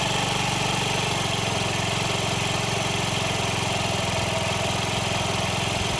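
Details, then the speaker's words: Honda Ruckus single-cylinder scooter after new fuel pump install with idle lowered; steady even putter about three to four beats a second, no misses or surging; normal idle, sounding much better. "And now it's got a new fuel pump. I was able to lower the idle. It's actually sounding a lot better."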